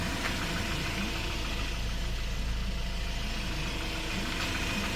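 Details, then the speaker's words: 2015 Hyundai Porter 2 Super Cab 1-ton electric wing-body truck, Euro 5 diesel with DPF, automatic, 149,000 km, accident-free; deep, steady diesel idle with even pulses, no knocks or rattles, engine quiet and good. "엔진소리 조용하고 변속 충격 없다"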